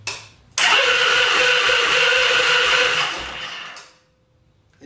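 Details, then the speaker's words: Victory Magnum motorcycle during rebuild, first start after fuel tank install; loud sustained high-pitched scream about three seconds while cranking then fades; owner thinks starter or its torque limiter, possibly needing bearings greased; starter screech while cranking. "this thing has the loud Screech I can't remember if it's the starter or if it's like uh something like the torque limiter or something for the starter but it's going to scream"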